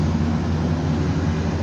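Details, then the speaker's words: Ford 5.4 Triton V8 after fixing an air intake leak behind the intake manifold that caused lean codes: deep, steady idle rumble, check-engine light off, earlier idle hesitation gone, no stumbles or hiss; normal idle. "which the sound motor sounds good too i don't hear any of that little hesitation anymore before i had a little bit of a hesitation in there when it was at idle"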